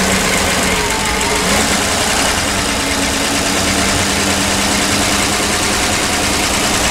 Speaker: Ну, в общем, вполне себе спокойный газоновский звук. Вполне плавный и равномерный. Такого стука, как был, я не слышу.